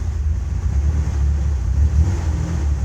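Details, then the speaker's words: 1994 Ford Ranger 4.0 OHV, new MAF, plugs and TPS, fuel pressure nominal, plugs rich: just after easy start, deep idle stumbles and surges unevenly; intermittent misfire, owner suspects ignition cutting out, unconfirmed. "searching for searching for a spark or something I don't know but that's the issue and do it again starts easy missing misfiring smoothes out"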